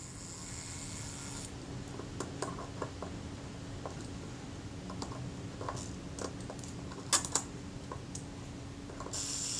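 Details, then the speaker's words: Rebuilt camera shutter's self-timer (delay action), graphite-lubricated and just reinstalled: a quiet, even mechanical buzz runs steadily for several seconds with light clicks and no hesitation; normal, smooth self-timer run. "That's fine. That's running down nice and smoothly now."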